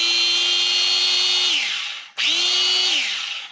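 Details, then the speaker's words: Makita angle grinder, after fixing its stripped gears and regreasing: two runs with a steady high whine that spins up quickly and winds down smoothly, with no grinding or rattle; it has never sounded so smooth. "that's crazy I don't think this thing has ever sounded that way so smooth"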